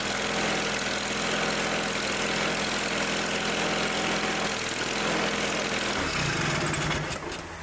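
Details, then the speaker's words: Old Simplicity garden tractor, after the fix: a leaky fitting with Teflon tape debris blocking it was cleared and retightened; the small single now holds a steady, even idle with no hunting or sputter, then winds down, running right. "no leaky now had to get it tight we saved another patient"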